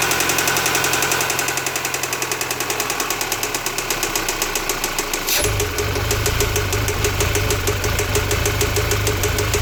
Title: 2015 Audi A4 CPM knocking sound